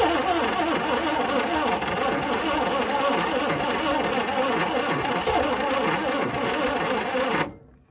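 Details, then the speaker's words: 1960 Chrysler Saratoga 383 V8, not run in about 39 years after a mid-1980s wreck, hand-fed fuel: uneven cranking around four beats a second, trying to catch but never running; owner thinks it wants more gas. "it just wants more gas I put in all the gas it would be hard to dump more gas in there than I did might run now maybe I finally fed it I don't know"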